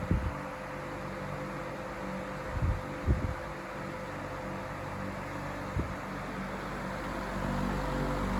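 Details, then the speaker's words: iLIVING 20-inch Turbo High Velocity Fan on low speed: steady airy rush and low hum with a faint, thin motor whistle on top; relatively quiet, normal for this fan. "so one thing I like about this relatively quiet I think it's quieter than the Patton fan low to hear the motor whistling"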